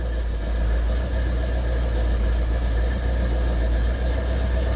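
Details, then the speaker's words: 1968 Pontiac ambulance with an Aces Killshot throttle-body EFI, cold idle after sitting 2.5 weeks: steady, even low rumble with no knocks, misses or surging. The AFR is reaching target and closed loop is reached; normal cold idle. "The AFR is already getting where it needs to be. She's cleaning up. We got closed loop."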